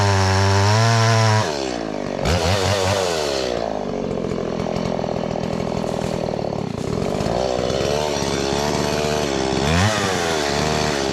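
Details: Stihl MS170 chainsaw with a 14-inch bar and a freshly filed chain, cutting dead cherry on a steep hillside: runs at a high busy pitch, then collapses and sputters when tipped at an angle, a recurring stall the owner no longer blames on the fuel filter; cause unclear.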